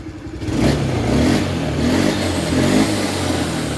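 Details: Honda BeAT FI scooter, earlier stalling and sputtering badly, after repair of a faulty battery and broken white wire, fuel pump pressure 40 PSI: picks up cleanly from a steady idle and holds an even rev with no misfire or stumble.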